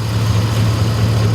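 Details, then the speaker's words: Truck engine idling after the failing AC compressor's belt was cut off: steady, even low hum with no knocks, misses or dips, slight alternator squeak; normal idle. "Now, it actually sounds like it's running pretty good. I hear a little bit of squeaking out of the alternator. It actually sounds pretty good."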